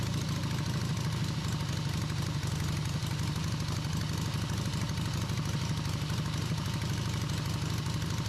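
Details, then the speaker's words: Rebuilt Harley V-twin on off-road trike, first run after timing was significantly advanced, carb working; steady, even low thumping idle, no misses or knocks; normal idle. "Surprised the carb actually worked as well as it did. Sounded good."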